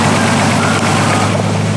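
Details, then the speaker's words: Restored barn-find R32 Skyline six with new in-tank fuel pump and new fuel lines, first start in park: steady even low rumble with no misses or knocks, smooth healthy idle. "all right here we go put it in par oh I hear the fuel pump this thing freaking purs that is"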